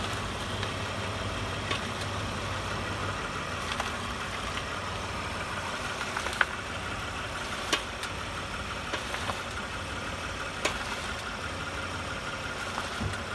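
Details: Toyota Highlander suspension knock: sharp single knocks every few seconds over quiet engine hum; new original struts and strut mount bearings fitted, struts reassembled several times, but knock remains, source unknown.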